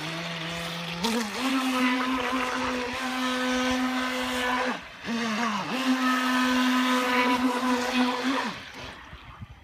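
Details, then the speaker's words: Miss Geico 17' RC boat with brushless Traxxas Velineon 380 motor and Mamba Micro Pro ESC, in-water test run; low whine pulses at low throttle, then power kicks in abruptly with a drastic speed jump around 70%; throttle settings need adjusting. "Now that's a drastic speed difference at 70%, but at low throttle, I'm getting a little pulsing."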